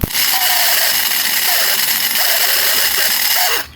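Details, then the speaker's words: Splendor bike starter motor run off a separate battery, spinning with a harsh, high, gritty grinding for about three and a half seconds; very loud noise, motor then opened to find the problem. "सुनोगे friend इसकी जो आवाज है बहुत ही गंदी तरीके से आ रही है बहुत ही ज्यादा साउंड कर रहा"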